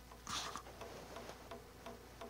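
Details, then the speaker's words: 250mm high-rpm PC fan fitted as a camping trailer (Airstream) vent, at its lowest dimmer setting: faint ticks about every third of a second with no steady spin. The fan lacks enough power to turn. "요런 소리가 나기 시작합니다. 전력이 모자라니까 띡띡띡 소리가 나는 거예요."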